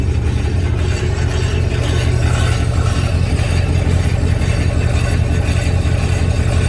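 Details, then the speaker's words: Probably 2002 Chevy Silverado with a replacement engine, in gear: deep steady growl from the rear axle, which the mechanic attributes to the rear end, worn differential gears. The axle wobbles, and he plans to check it with a screwdriver stethoscope. "I wanted the growling I heard was from the rear end"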